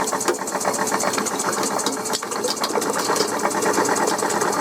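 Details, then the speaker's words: Coal-fired model steam puffer boat with 3-inch propeller, boiler connected directly to engine after faulty reversing valve removed: quick, evenly spaced chuffs, steady beat, no stumbles, strong power, some steam leaks; normal running. "We got extremely got extreme power now. It's big prop. It's 3in prop. It's going around lovely."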